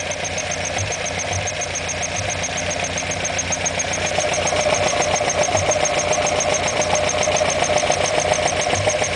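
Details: Alfa Romeo Alfetta GTV 2.0L at idle: fast, fairly even ticking knock about three or four a second over steady idle; engine knock, cause unknown.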